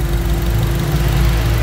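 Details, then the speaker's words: Honda CR-V Gen3 after Blackcore blow-by device install and 10-15 throttle blips to 4,000-5,000 rpm: smooth steady low idle with a light even injector tick; no roughness or knock, healthy engine. "suara mesin sangat halus injektor yang tadinya tertutup suara mesin sekarang jadi dominan"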